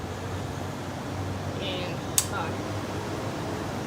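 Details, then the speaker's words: 1980s GE Thinline rotary window air conditioner, pre-restoration, running on high: steady quiet low hum, smooth airflow, one brief click, blowing icy cold; running healthily. "look at that already serious worker very quiet too this is ideal for a bedroom these ge rotaries are hard workers"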